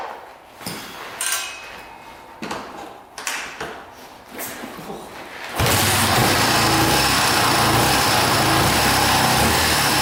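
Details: 1982 Honda XL500R single-cylinder, first start in years after valve adjustment, carburetor cleaning and reconnecting a pickup coil wire; a few kick clunks, then it catches and settles into a loud, steady idle, no misfire.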